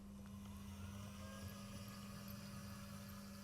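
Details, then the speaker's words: Bachmann Class 08 shunter model locomotive after running-in, running in reverse: thin high squeak over the motor whirr; metal filings on the motor shaft and bearings, needs cleaning. "you hear that it's squeaking so yeah again this thing really does need a proper cleanup really I'll probably do that after the review so it doesn't destroy itself but yeah metal filings all over the motor shaft and the bearings and such"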